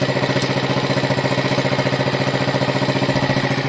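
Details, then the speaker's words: 1971 Honda SL70 after sitting, rebuilt with 88cc top end kit, carb kit, air filter and tune-up, on temporary battery: steady even putt-putt idle, about three beats a second, no misses or knocks; normal clean idle. "so let's fire it up and here one last time right up oh yeah vintage bikes are cool"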